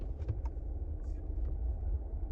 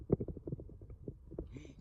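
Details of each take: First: Chevy Silverado test drive after hub assembly replacement for wheel bearing noise: a steady low road rumble while rolling, with no growl or grinding rising with speed, so the hub runs quiet. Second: Chevy Silverado front wheel hub spun by hand gives a low, uneven, gritty rumble and feels loose; worn wheel bearing diagnosed, the other side quiet, hub assembly replaced.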